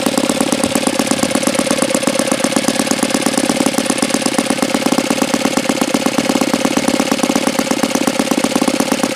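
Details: Saito FA-82a four-stroke model engine, very low-time and not fully broken in, ringed, no throttle stop screw: quick, even popping at a steady high idle with no misses or surging; idles extremely well, normal idle.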